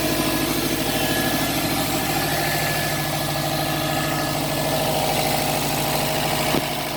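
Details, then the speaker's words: 2009 Subaru WRX hatchback, newly built EJ255 long block with about 11,000 miles, cold start heard from the cabin; steady idle with faint uneven tapping two to three times a second, owner suspects rod knock or rod bearing. "I'll fire it up cold start to see if you guys can hear it from the cabin then I'll move to the engine"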